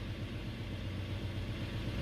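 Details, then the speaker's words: 2005 Toyota 4Runner V6, idling with check engine light and code P0304: low, slightly uneven pulse consistent with a cylinder 4 misfire; ignition coil suspected, not yet confirmed. "a cylinder 4 it's a cylinder 4 misfire so let's take a little a p30 4 refers to a misfire on cylinder number 4"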